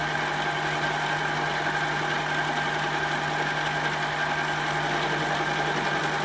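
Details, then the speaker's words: Metal lathe cutting toward a shoulder, tool sticking out unsupported and tool post wouldn't tighten down: steady harsh high ringing over lathe hum through the cut; tool chatter, better support and tightening the tool post should help. "there is a lot of chatter in there you can hear it if I had some support out here we'd probably do better"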